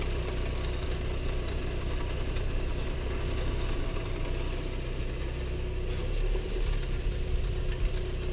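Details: 2015 Audi A3 1.8T going uphill in Drive, simulating stop-and-go traffic: rough gritty low grinding from the front of the vehicle over the engine hum under load.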